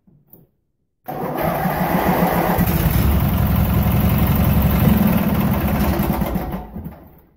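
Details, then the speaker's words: 18hp Briggs opposed-twin, warmed up: steady chugging run but throttle response sags; owner says adjusting low speed makes it run rough at low speed and the lag remains, a common issue on these engines; hesitation on acceleration. "an issue that plagues these opposed twin engines now I can adjust a low speed but then it runs rough at low speed and it still has that lag"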